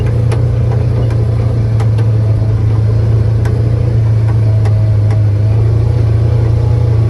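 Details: Polaris Ranger 900XP side-by-side after repair, driven in high gear. Steady, even engine drone with no chain rattle, only a few stray ticks from the ground; it sounds much better and runs healthy.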